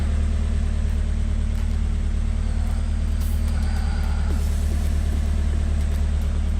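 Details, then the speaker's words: Nissan S14 Silvia with a freshly built SR20DE+T on first start: deep, lumpy idle with an uneven pulse of about four per second. Ignition timing is not yet set, the check engine light is flashing, and vacuum reads -16 to -17; no smoke. "sounds good so far it's not a great Idol doesn't seem to be popping any smoke over the back"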